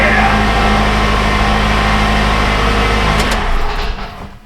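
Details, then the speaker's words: Toyota Camry that died six months after its hacked wiring was repaired, idling after a new part and retainer were fitted: steady, smooth engine drone with an even beat, no misses or knocks; runs fine at idle. "like a boss."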